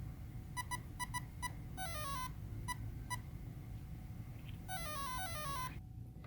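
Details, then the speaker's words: Castle Creations brushless ESC after manual programming: short beep groups, then two rising-and-falling tone runs showing the controller has come on armed with motor direction set to reverse (menu six, option two). "that the system has come on armed your motor is programmed to operate in the reverse direction from normal"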